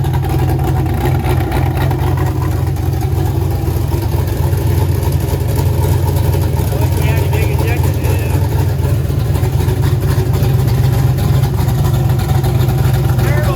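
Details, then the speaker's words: Turbo LS V8 swapped into a Mustang, built for 1000+ hp, running for the first time after fuel and wiring work, Holley setup, air-fuel on target, charging fine: deep, steady rumble, even firing, no knocks or misses; normal running. "oh my goodness man your car's running you happy man that thing sounds good oh my god this thing's going to be an animal"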